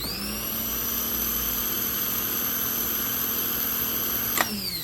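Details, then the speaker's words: Rebuilt Honda Accord/CR-V starter tested on the bench with jumper leads; high, steady whir that spins up fast and holds an even speed before cutting off, normal smooth starter operation. "and then when you click this on hold on to it so it doesn't kick out of your hands and that sound that it makes a nice smooth running"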